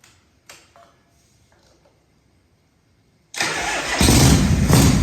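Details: 1978 Harley Shovelhead FXS Lowrider first start after long storage, tanks cleaned, petcock rebuilt, rewired, carb accelerator pump redone: clicks, then V-twin catches into loud, lumpy but steady idle; normal start.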